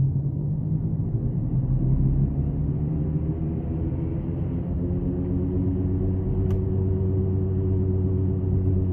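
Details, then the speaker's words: Customer reports loud noise and vibration mainly when turning: deep, steady droning rumble under the car while driving, traced to a worn right front hub bearing, to be replaced. "so the noise ended up being a right front hub baron uh they are going to get that replaced next week"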